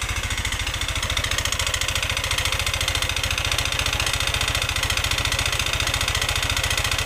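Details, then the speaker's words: Yamaha NMAX scooter with harsh, rattly knock at about three to four beats a second over a rough idle, also smoking heavily; piston found destroyed, piston replacement required. "ini ini ngepasi yang bermasalah itu di bagian piston karena suaranya seperti yang kita dengarkan Tadi suaranya Kasar banget jadi mau enggak mau kita harus ganti piston karena piston sudah hancur seperti ini"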